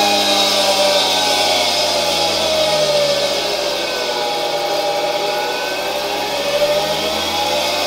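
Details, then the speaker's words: 1960 Alfa II vacuum cleaner's bare motor run on the bench at much reduced voltage through a regulator: steady high rushing hum with a faint rough edge; bearings and turbine slightly noisy but serviceable; brushes to be replaced later. "I think it's not too bad. It's like in old motors: you can hear the bearings a bit, the turbine is a bit noisy, but in general I'm happy that the motor works"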